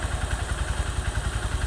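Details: Honda CB Verza 150, 2020, about 175,000 km after five years of daily ride-hailing use: low pulsing single-cylinder idle, about eight thumps a second with light clatter; clutch plates due, a seal leaking, service need uncertain.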